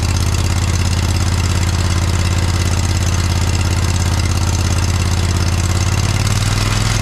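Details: John Deere 317 lawn tractor repowered with a Kohler Command 18 hp engine, first start after sitting many years; settles into a steady, even beat, no misses or knocks; runs pretty good, though a fuel leak remains (cracked fuel pump suspected).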